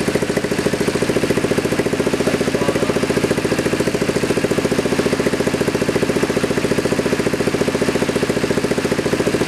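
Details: Freshly rebuilt 1973 Kawasaki Z1 900 four-cylinder on a test frame, first start: even, regular exhaust pulses at a settled idle, about three and a half per second, with no stumbles or knocks; healthy idle.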